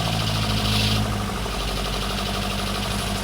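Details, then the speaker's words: Lotus Elan Sprint big valve twin cam, barn find off the road 33+ years, first run: steady, even idle on half choke with a firm low rumble, no hunting or misfiring; running cleanly. "That's choke half on. Yeah. Listen to that. That's phenomenal. That is phenomenal."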